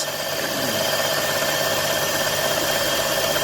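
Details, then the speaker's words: Vehicle at a salvage auction, plastic intake, full of coolant: light uneven rattle over a steady idle hum; possibly a small plastic piece dropped into the intake, a common issue on these. Cause unconfirmed. "okay so it sounds like you got that uh these have the plastic intake on them i think sometimes like a little plastic piece or something goes down in there but i mean it's kind of common on them"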